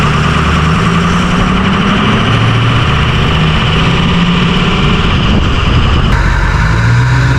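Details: Ford 6.0 Powerstroke diesel truck just fitted with an S&B cold air intake (part 75-5070): deep, steady idle with an even clatter and no knocks or misses. Normal idle.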